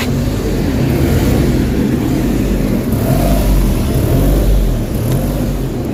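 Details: Suzuki DA17, engine warmed up a few minutes at idle: RPM swells and sags repeatedly instead of holding steady, no fault code stored on scan; idle hunting, cause not yet confirmed.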